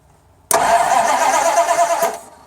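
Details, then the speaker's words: 1987 Dodge W150 cranks about a second and a half with no firing or catch; owner suspects a bad ignition coil, possibly the ignition box, not confirmed. "Nothing at all. So, alright, you can stop. So, wondering if that's the coil that's messed up, or maybe somehow, some way, some crazy way that the box went bad."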